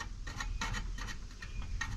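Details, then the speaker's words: 1955 Willys Jeep CJ-5 heater blower at full speed: faint uneven ticks as the out-of-true hub rim, pressed back by airflow, just barely rubs; fan hub rubbing. "Can you hear that? That just barely rubs."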